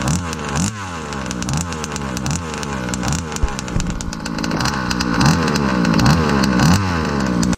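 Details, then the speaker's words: Fifth-scale RC car (Baja 5) two-stroke engine, low-end needle opened too far: uneven burbling, lazy spluttery blips and revs instead of crisp; running too rich. "the same goes for running it rich but with opposite settings let's listen to what a rich tune sounds like"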